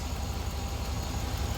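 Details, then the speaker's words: 2004 Chevy Silverado 6.0L V8 idling after an engine oil flush and oil and filter change: smooth low steady rumble, the former ticking/tapping noise gone, quiet. "no more clicking noise hey stop it is so quiet I love it so damn it works"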